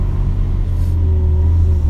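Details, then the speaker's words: Budget squad car, off the road over a decade, first start after fresh oil, topped-up fluids and carburetor primed with quick start: starts right up, deep even low rumble with slight rev lift, no knocks or misses; running cleanly. "so here goes nothing start it right up just like a champ"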